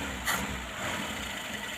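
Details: Old petrol Mitsubishi L300 with carburetor, revived after about two years unused; fuel lines checked and reconnected, some sputtering earlier from an uncleaned fuel filter; now a steady, even idle with a soft, smooth beat and no misses or hunting.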